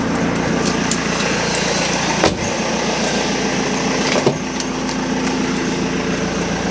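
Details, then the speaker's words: BMW E46 Touring diesel started immediately with no long cranking: steady even idle with no knocks, whine or misfire, previous high-pitched inline pre-supply pump noise gone. "Engines idling, perfect. Engine sounds sweet."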